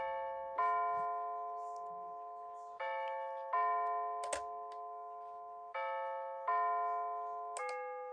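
Clear, bright bell notes ring out in a strong, even chime sequence with steady pitch; the clock chime is working properly.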